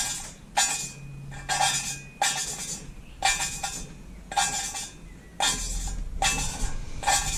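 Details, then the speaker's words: EB three-cylinder engine cylinder head overhaul, hand lapping a valve with grinding paste: gritty scraping bursts about once a second as the valve twists on its seat; still coarse, seat not yet bedded, continue until noise softens. "une fois que le bruit s'atténue cependant l'oeuvre on nettoie"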